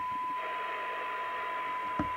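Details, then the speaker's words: 1981 Audioline PT340 UK 27/81 CB radio (Uniden chassis) during receive alignment, one-microvolt test signal: steady hiss with faint buried tone; receiver insensitive, not yet hearing 0.3 microvolt, needs further tuning. "that's one microvolt i'd like to hear it at 0.3 we're not getting that yet"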